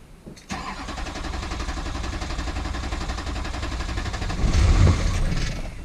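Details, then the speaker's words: Wrecked rollover truck showing reduced-engine-power and service-4WD warnings: the starter churns and the engine turns over once but won't catch. A fuel problem is suspected; a fuel filter/water separator and bleeder screw are planned. "all right so she turn over once and then nothing sounds like fuel to me"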